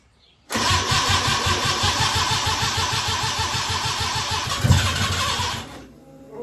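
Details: Mazda RX-7 13B rotary after an EFI conversion: the starter cranks at an even rapid beat for about five seconds without firing; owner unsure whether it has too much or too little fuel; cause not confirmed.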